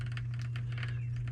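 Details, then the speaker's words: Well pump running again after ants shorted the pressure switch contacts (short-term fix, switch covered with a plastic bag): steady low hum under light irregular ticking as water builds pressure in the tank; normal. "now the wall pumps running and that little clicking sound is the water coming through building up building up pressure in the tank"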